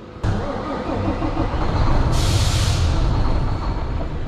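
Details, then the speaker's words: 2014 D13 semi truck diesel showing 513 on the mileage, with a check-engine code for turbocharger boost control circuit range/performance. It catches and runs rough, surging and sagging, choking and struggling to stay running with loss of power. A seized VGT turbo nozzle is suspected; the fix is to free up the VGT. "The engine is like struggling to stay on. You can hear it. It's choking."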